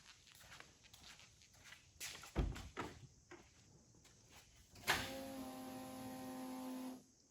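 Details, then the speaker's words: 1953 Ford truck running: a steady buzzing whine holding evenly, described as sounding horrible; power steering pump noise from the type 2 pump. "it sounds absolutely horrible"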